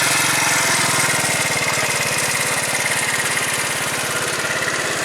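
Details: 2012 Tao Tao scooter after variator repair with a new variator pulley and roller weights: an even, fast single-cylinder putter at a steady rate with no misses or knocks, running smoothly.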